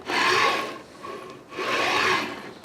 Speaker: I feel like there's some bad berries because I can feel it feels like it's I mean it feels some rough spots like you put your hand on there and you can feel it the bearings of the surface of the barians I feel like I asked me flat spots on my bearings